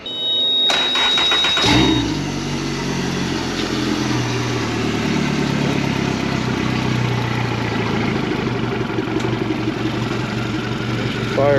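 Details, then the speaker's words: 2017 Suzuki DF115 four-stroke outboard, overdue for service, stalling and missing, on flush water, just after spark plug replacement: cranks and settles into fairly steady idle, better than before but still slightly uneven. "up sound a little bit better. She don't sound too bad. See if she accelerates."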